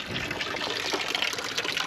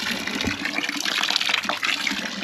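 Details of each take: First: Dempster windmill water pump with trouble holding prime, air spraying out: irregular gushing and spitting water with uneven surges instead of steady flow; pump sucking air and losing prime. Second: Dempster pump with trouble keeping its prime: steady splashing gush of water pouring out, no surging or knocking; pump delivering evenly.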